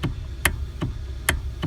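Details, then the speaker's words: 2012 Hyundai Sonata electric power steering: sharp hollow knocks about three a second under the dash as steering wheel turns, from worn rubber coupling between steering motor and gear. "so the issue that we're having with this Hyundai Sonata is when you turn this theory will you start hearing a little knocking noise"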